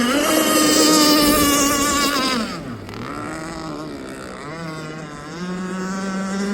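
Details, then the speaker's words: Aeromarine Avenger 44 RC boat, Zenoah 29cc two-stroke with steel Gizmo pipe and ABC prop, running at high RPM in rough water and a roughly 12 mph wind: the scream suddenly stumbles for about a second, an intermittent sputter of unknown cause. "She's sputtering there. You guys hear that sputter? Wonder what the deal is with that."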